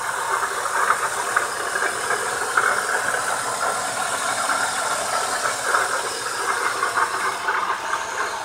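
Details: Engine running with a hissing, rattly overtone and faint irregular ticking on a BMW E36; odd engine noise, cause not clear.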